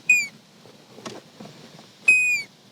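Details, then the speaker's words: 1989 Johnson 175 V6 two-stroke outboard on a 1989 Legend bass boat won't turn over despite new starter, solenoid and key cylinder and an overnight-charged battery: key on gives only two brief buzzer beeps, no starter whir or cranking. "does nothing turn the key nothing happens not a thing turn the key and you hear that buzzer beep"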